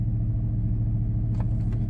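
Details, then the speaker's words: 1999 Dodge Durango SLT, sat since 2009, idling at about 1500–1600 rpm after a highway drive and restart: steady, even hum well above normal idle with no dip or hunting; throttle not stuck, high idle. "And it's even higher now. Look at that. Oh, now we're back down to 15. So, 16 actually. So let's pop the hood here. Let's go have a look. I mean, it sounds good, but it's a little high."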